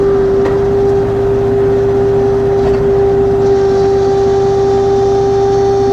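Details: LS XR3135C tractor running: strong steady fixed-pitch hydraulic whine over engine drone; problem persists after two dealer visits, cause unknown.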